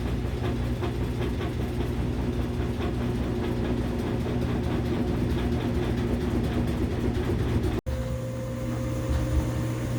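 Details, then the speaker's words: Washing machine, previously loud, after replacing belt, shock absorbers, drum support springs and pump: even steady spin hum with soft regular rhythm, no banging or knocking. "It's hardly even shaking. It's got a little wiggle, but not much."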